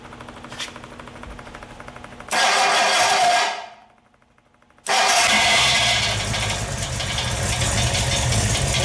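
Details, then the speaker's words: Freshly rebuilt Ford FE 390 V8, Edelbrock fuel-injected, primed with oil pressure, first start on run stand: cranks, catches with loud burst, dips briefly, settles into strong even run, no knocks; ran well but a fuel-system part blew a seal and leaked. "Well, I guess you just heard. It ran good. I really liked it. It sounded really good."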